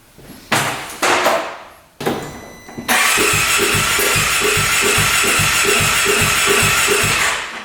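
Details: 2017 Polaris RZR 570 with low compression, cranked to check for a blown head gasket: a few short starter bursts, then steady cranking with regular compression pulses that never catch. Cranks but won't start; no sign of a head-gasket leak found.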